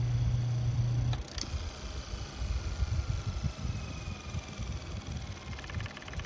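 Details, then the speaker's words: Antique Delco reversible motor after stator lead wire repair, armature somewhat loose: steady hum turns to an uneven, rough low throb three or four times a second as the brush assembly sits dead centre, so it cannot choose direction. "Ah, I got it right in the center. That's what happens when the brush assembly is right in the center, so it can't choose left or right."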